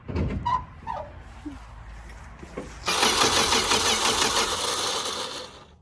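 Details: Dodge Dart sitting since 1992, restarted outdoors in the field after trying it in gear (no brakes, flat tire): starter grinds briefly, then it fires on the second try into a rough, hissy, uneven idle; running but not pretty.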